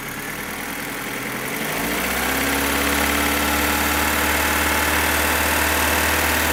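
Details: 2015 Opel Astra H Z16XEP petrol engine: loud, fast, even valvetrain tick about four per second at idle, climbing with revs; stops when cylinders 3 and 4 are cut, tappets and injectors ruled out, non-original camshafts suspected; source not pinned down.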